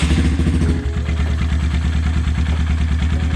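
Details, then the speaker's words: High-mileage (20,000 mile) Honda Grom single after rebuild and new header, buzzing cured by torquing a loose, under-finger-tight fastener: deep, steady even idle with no buzz, running cleanly. "We're buzz-free. Now I can actually hear the engine, and it's sounding pretty good."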